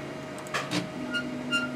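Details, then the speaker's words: Creality-style 3D printer after linear rail and 10mm Y belt conversion, sensorless homing: steady motor hum with short high squeaks every few tenths of a second from the Y rail; owner suspects new rails rubbing plastic, needing lube or wearing in. "So I hear that squeaking. I'm actually running sensorless homing, but."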